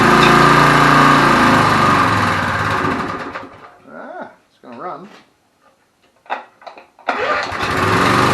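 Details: 1981 Briggs & Stratton vertical-shaft generator found discarded: small engine runs at a steady, even buzz, cuts out briefly, then picks straight back up to the same smooth speed; runs fine.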